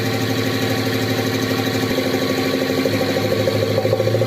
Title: Motorgeräusch, wenn versucht wurde, AGR und Ansaugkrümmer OHNE Demontage zu reinigen #shorts